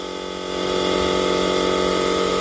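A steady electric hum rises and settles within half a second, then holds an even pitch as the oil-change pump pulls cleanly.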